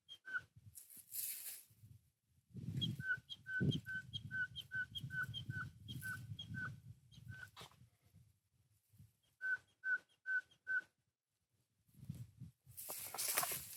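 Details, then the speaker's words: Strimmer primer bulb gives short, high whistling squeaks, two or three a second, each time it is pressed; owner suspects a gap or hole in the fuel system. "See if you can hear this squeak. Now, to me, that means there's a gap in the system somewhere. There's a little bit of whistling going on. There's a hole."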